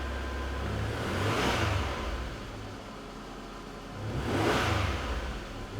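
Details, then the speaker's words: 1984 Datsun 300ZX Turbo, 3.0L turbocharged V6, 91,625 original miles, automatic overdrive, recorded under the hood: smooth engine pulled up through two clean revs, dropping back to an even idle without knocks or misses; normal revving. "we'll start this motor up and let you hear what that 3.0 L turbocharged V6 sounds like on this vehicle"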